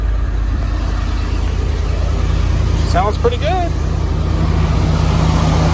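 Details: 1979 Ford Bronco V8 first start after about 15 years of storage, choke held open, fuel squirted through filter, starting fluid used; deep steady rumble, slightly uneven but holding and running on its own.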